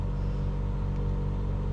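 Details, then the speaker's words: Truma Aventa Comfort roof-mounted caravan air conditioner with compressor running in 30+ degree heat: deep steady even hum, no knocks or rattles; normal but noticeably loud compressor noise. "Now it's a compressor on your roof, so it's not going to be quiet, I understand this, and at the moment you can hear it humming"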